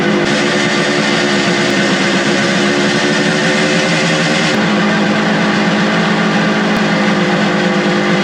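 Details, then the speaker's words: Suzuki two-stroke motorcycle with non-original carburetors, carburetors adjusted on the fly after carb cleaning; steady, even buzz at constant pitch with no stumbles, pops or hunting, idling cleanly and running well. "When it's sitting there idling, and I can't believe it. There you have it, folks. It's a runner. She runs. It runs actually pretty darn well."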